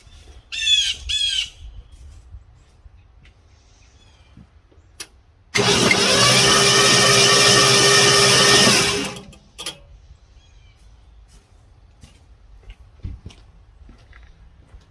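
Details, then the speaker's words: 1972 Ford F100 with non-original 302 V8, abandoned 25+ years: about three seconds of steady cranking near three beats a second, no firing; no spark reaching the spark plugs. "so it seems like we're not getting spark uh take the spark plug out tried to see if I could get it to fire I'm not getting any fire to the spark plugs"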